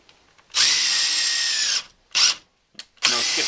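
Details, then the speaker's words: DeWalt 20V DCF885 impact driver, battery on one bar, drilling a countersunk hole into wood: short bursts of smooth high motor whine, no hammering or skipping; drilling normally without impacting. "It had no trouble with drilling holes. It doesn't take as much force, and there's not as much resistance within the wood because this is designed to bore."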